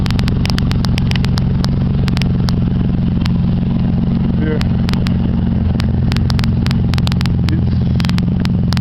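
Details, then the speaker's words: 1991 Ford Ranger at idle with big hole on both sides of muffler: loud raspy deep rumble with steady low beat, no muffling; exhaust barking out through holed muffler. "Cause I actually know what the red line sounds like that, and it doesn't mean I have a freaking muffler on there. That's a big ass hole."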